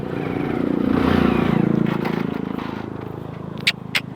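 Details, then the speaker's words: Motorcycle trying to pull away in fourth gear, revved then clutch released; low labouring thud near three or four beats a second that never picks up: engine lugging, geared too high to pull away. "नहीं उठ रही भाई चौथे gear में सवाल ही नहीं होता"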